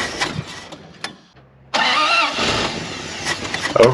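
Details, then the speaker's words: Dodge W300 dump truck carbureted engine, sat since last year, primed with a splash of gas in the carburetor: short start attempt, rough catch that won't settle or keep running; owner suspects fuel not reaching carburetor, possibly failed fuel pump. "seems like the fuel is not getting to the carburetor they're not running long enough"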